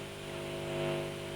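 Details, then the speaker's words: 1955 Fender Tweed Deluxe amp, powered on, instrument channel, after replacing leaking non-electrolytic caps that put DC on the volume pot; only steady low mains hum, scratchiness gone; quiet volume pot. "you can hear maybe that that scratchiness has gone out of that pot it's now not making that noise"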